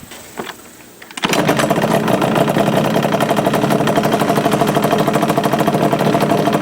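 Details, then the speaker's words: 2002 Yamaha Banshee two-stroke before kickstart rebuild: fires after a kick, then fast metallic chatter about three per second over the idle; worn kickstart mechanism rattling. "let me quick it up and let give you all an example of what it does when that needs to be replaced"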